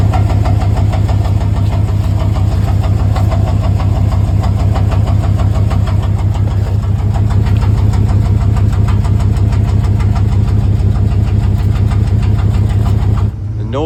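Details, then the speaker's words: 1994 Dodge Ram 1500 first running after no-start repair: heavy steady thumping about three times a second that rises with rpm, sounding further back than the engine; owner suspects driveline or transmission, unconfirmed, went away in second gear. "Yeah, it got a little little thump to it. That sounds like it's rotating. Maybe it's a clock cap. That doesn't sound like engine knocking."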